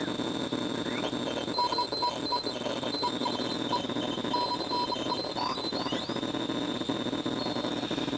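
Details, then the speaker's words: Hammarlund SP-600 JX-6 receiver at first power-up on HF: steady hiss and buzz with faint warbling tones; constant local neighborhood interference that the noise limiter barely affects. "hear that noise that noise is the noise in my neighborhood that constant noise"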